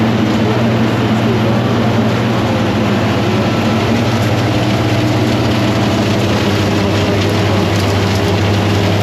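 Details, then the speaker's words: Forage blower driven by a Fendt 926, filling a silo with cocktail mix chopped by a Claas 960, with some rocks heard going up: a steady, even low drone with no knocks, surges or grinding. It is running steady, though not going up super fast. "There she is, running steady. We got the Fendt 926 on the blower."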